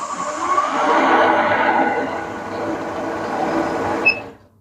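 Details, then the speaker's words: Shopsmith Mark V 7520 being checked as a used machine, started with the green button: an even, steady motor whir with no knocks or rubbing, then a clean wind-down; it runs smoothly. "Push the green button and it should start right up. And it should sound really smooth just like you hear it there."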